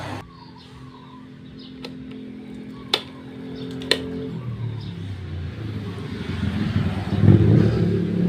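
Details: Thai AJ electric fan after repair: the motor's head-droop fault was fixed, the motor wiring rerouted and the coil secured with cable ties. A steady low motor hum with a soft whir building as speed settings rise; it runs smoothly on every speed.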